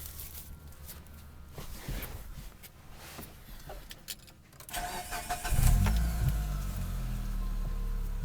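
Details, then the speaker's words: 2005 Mitsubishi Lancer Ralliart, 5-speed manual, about 52k miles: start-up, then loose metallic rattle over exhaust; owner suspects loose heat wrap on headers before the catalytic converter; headers to be replaced. "up if you can hear that rattling noise it's headers that I'll be replacing it's I think right before the catalytic converter it's like a heat wrap that's come loose"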